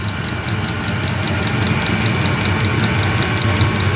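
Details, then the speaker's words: Ebay 8kW Chinese diesel heater powered from a spare car battery, spinning up to full output: steady low fan roar with the fuel pump ticking faster over it; normal full-output running. "starting to really spin up now here and the pump's going faster"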